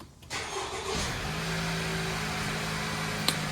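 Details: 2017 Honda that had cylinder misfires with check engine and VSA lights, after repair and sensor calibration: catches on first try, brief rev flare, then smooth steady idle with even unbroken hum; normal start and idle.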